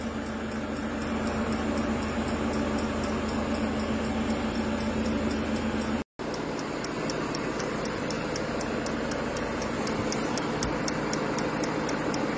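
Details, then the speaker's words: Peugeot 5008 diesel after DPF additive tank repair, no additive fault shown: light, even ticking of a few clicks per second over the steady diesel as the additive pump primes; normal DPF additive pump priming. "voilà donc là on entend bien la pompe qui est en train d'amorcer voilà il faut la laisser faire ça va durer un certain temps"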